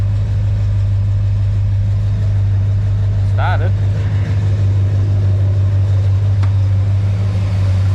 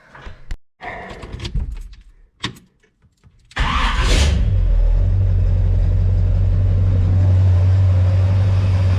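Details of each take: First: Chevy 350 small block cold start after shimming mini starter and reconnecting solenoid wire at bell housing bolt: steady low idle, no chatter or clatter; earlier noise seems gone. Owner suspects starter alignment, earlier suspected cracked ring gear. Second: Chevy 350 small-block V8 with a mini starter, after shimming the starter to chase a shrieking noise and while chasing overheating: a few clicks, then fires into a steady, deep, even idle with no starter shriek; normal start.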